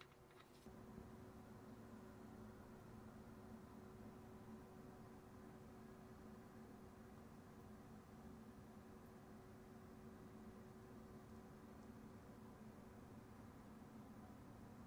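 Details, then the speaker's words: RTX 5060 graphics card under gaming load, 145 W, GPU 56 °C, fans 49% at 1,430 RPM, 22 °C room, wireless microphone; soft even airy whoosh blending with quiet case fans; normal fan noise. "There is no noise to report because the GPU is pretty much in line with the rest of the fans in this system in terms of noise."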